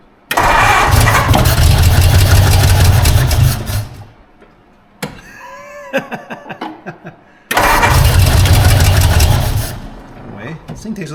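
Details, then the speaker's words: 1952 Ford Crestline after years sitting, carburetor fed fuel by hand, vacuum advance line taped off: catches and runs a few seconds, dies, fires again only when fed, not running on all cylinders; carburetor needs work. "more fuel than a filler thinks it's like need three hands to do this feel like I'm giving her too much it's not quite running on all though definitely something going on there"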